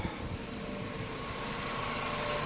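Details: Chevrolet Cobalt after throttle body cleaning and adaptation (set to 8% as factory), purge-valve clicking gone: engine idles evenly with a light steady tick and faint hum, no clicking or surging; healthy, stable idle.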